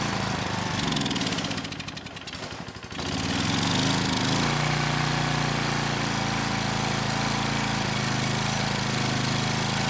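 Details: Craftsman 2500 W generator, Tecumseh OHV OHH60-71116C engine, compression restored, carb primed manually: pull-start rattle, then it catches first pull and settles into a steady buzzing run; carb suspected to need cleaning.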